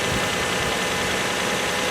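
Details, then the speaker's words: Six-cylinder car "Ginger" restarted after it sat 11 days and cranked oddly; new battery. Smooth, even idle with soft steady whir, no misses or knocks, running like a sewing machine; normal idle. "So I guess nothing more to do but to give it a shot, and then we'll talk more. it started, and it's running like a sewing machine."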